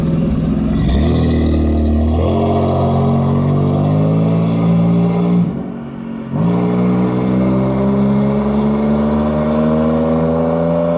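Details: 1993 Dodge Stealth with a bad automatic transmission attempting to take off: engine revs climb and flare with a break while gaining little speed, as the transmission slips and gets stuck in gear.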